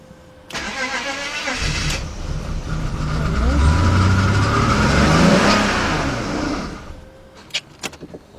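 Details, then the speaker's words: Slow, uneven cranking on a BMW 5-series (525i/528i/530i/540i) with a crank-no-start and no dash lights, possibly flooded or with plugs fouled from cranking. It sounds low on compression, then starts, smoking heavily, with the service engine light on. "sounds like it's low in compression. It did sound that way, but it just started up. It's smoking like crazy."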